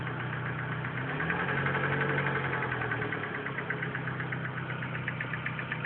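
Steady idle with a light, even tick about four times a second riding over the engine; source not yet pinned down.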